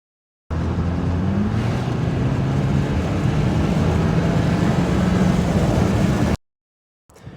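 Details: BMW 328i N20 that stuttered under hard acceleration, tested on a drive after replacing the ignition coils (plugs and injectors done earlier). Engine pulls cleanly with an even, steady drone and no stutter. Smooth acceleration; misfire fixed.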